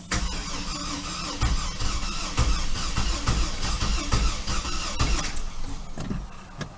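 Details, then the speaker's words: 2005 Chevy TrailBlazer 4.2 that stranded its driver: starter turns the engine over in a steady chugging rhythm for several seconds with battery seemingly strong, but it never catches; crank-no-start condition being diagnosed. "so it acts like it wants to start so that tells me a couple of things"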